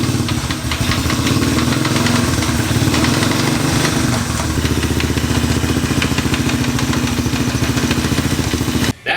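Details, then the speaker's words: Honda CT90 Trail 90 frame fitted with a Honda ATC125 engine, test ride in fourth gear: a rough, rapid clatter rides over the engine note; transmission trouble, with a tooth later found stuck to the flywheel magnet. "the sound of transmission problems, and consequently a lot more work on a project that I thought was done."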